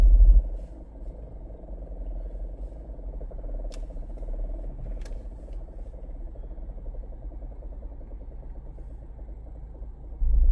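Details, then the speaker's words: 2015 Ford Escape AWD chattering on hard turns, mimicking a bad axle or wheel bearing: quiet, uneven low judder, about four pulses a second, from the rear; rear diff positive-traction coupling clutches grabbing and binding instead of sliding smoothly. "That's the clutches coming together in that positive traction unit, and instead of them sliding smoothly, they're doing that. They're like grabbing, binding, and then doing that."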